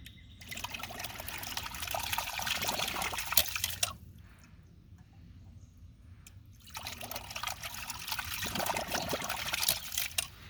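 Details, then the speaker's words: Newly installed ram pump that clicks slowly and gives very low pressure, heard after being taken apart and adjusted. Water gushes in uneven surges with gurgling and bubbling as air comes out; owner suspects a hole in the drive line. "You can even hear it bubbling the air. Let's see here. You can hear it bubbling air out of it."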